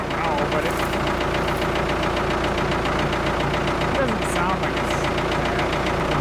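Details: Abandoned Ford 655A backhoe diesel after revival, running at low speed, no oil pressure gauge: steady even clatter with no extra knocks; engine sounds good, blow-by basically none, healthy.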